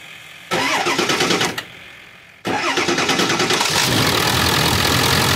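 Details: Ford F350 Super Duty 7.3 Powerstroke after replacing the water pump, the broken tensioner pulley and the upper hose, with coolant topped off: one crank fails, then the second catches into a steady, even diesel idle; no leaks or bubbles, working normally.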